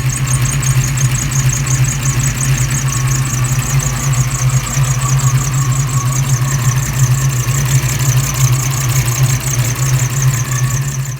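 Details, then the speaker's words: 1987 V8 after Promaxx heads and new rocker install, back from a road test: steady idle with faint rhythmic high chirp about three a second; valvetrain squeak, owner suspects pushrod rubbing a guide plate, not confirmed. "I heard a a tad bit of squeaking, the same squeaking y'all just heard. Um kind of sounded like a push rod rubbing against a guide plate or something weird."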